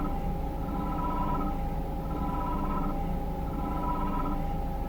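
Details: Peugeot 3008 1.6 PureTech 180 hp: a whirring tone rising and fading over the engine drone, wide intervals at start, spontaneously more frequent around 19 seconds; a slight rev adds harshness; abnormal periodic engine noise of unknown cause.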